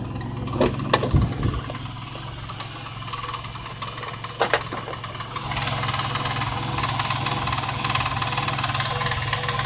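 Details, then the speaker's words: Truck with Marvel Mystery Oil added to fuel, after 18 miles: light quick ticking over steady low idle hum, less than before, barely heard at higher rpm; ticking at idle, lifters suspected by friend, unconfirmed. "making the sound but it's not as bad as it was and actually most of the time while I was driving on back roads in that it seemed at higher rpms you couldn't even barely hear it and sometimes it just totally went away"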